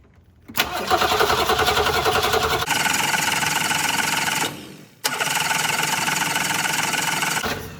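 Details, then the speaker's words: 1966 Ford Mustang, 200 straight-six with a rebuilt and refitted Holley one-barrel carb: two long steady cranking bursts, no firing. Stuck needle-and-seat valve suspected; the choke was then found stuck open. "Nope, still stuck. Let's try one more thing. I still think it's just a stuck valve,"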